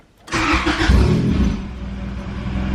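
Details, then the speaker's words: Integra with $600 eBay turbo kit, first start without coolant, run briefly to check leaks: cranks, catches and flares, then drops to a slow, lumpy, very low idle; no leaks seen. "look it's on the idle is like super low but it's fine"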